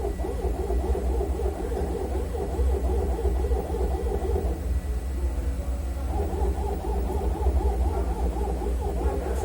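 A wavering, hooting whine pulses over a steady engine drone, rising and falling every second or so; the source is unclear.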